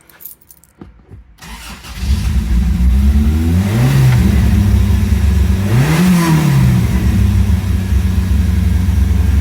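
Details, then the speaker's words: 1987 Toyota Tercel 4WD with swapped 4A-C engine, first start, air cleaner just fitted: fires, two quick revs, then a steady but slightly fast idle; high idle, owner suspects a vacuum leak or something knocked loose. "Idling a little high, but we may have a vacuum leak or something. I just put the air cleaner on it. It's possible I knocked something out."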